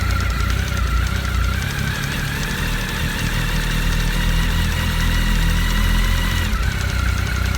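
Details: Honda CB1300 engine at cold idle after antifreeze change: low uneven knock about twice a second from below, at the water pump; pump found fine, owner suspects a coolant air lock letting the pump shaft rattle in its factory play against the oil pump shaft.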